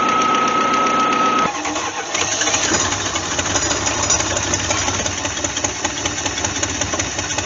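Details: Cadillac CTS 3.6 L after start: idle stumbles with an uneven, lumpy beat about four per second, a misfire on cylinder #1 before the spark plugs are changed.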